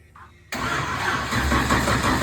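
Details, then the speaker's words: Forgotten Nova racecar just bought, engine first turned by hand with no binding, first key-on crank trying to build oil pressure: starter spins it over in steady even whirr, no firing, binding or knocks; normal cranking. "okay come on this is sounding good if we can get this thing to build oil pressure this is where we find out we made a good"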